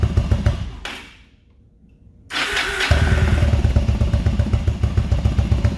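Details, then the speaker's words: Motorcycle unused about a month, on a battery charger, cold start: fires and settles into a lumpy, uneven low beat around four a second; owner says it needs a tune-up, cause not confirmed. "all right guys so let's give her a fire up see how she sounds like it does me it does need a tune-up"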